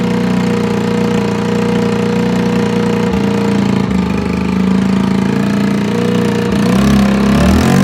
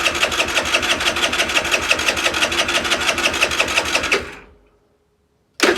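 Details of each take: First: Longjia 50cc two-stroke scooter on 12 V portable jump starter (no battery) after carb cleaning and electrics sorted: idles steadily, revs up cleanly and drops back smoothly before shut-off; normal running. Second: Longjia 50cc two-stroke scooter, cleaned carb and sorted electrics, powered by a 12 V portable jump starter with no battery: fast, even starter churn about three beats a second for four seconds, then it cuts out; never catches, cranking but no start.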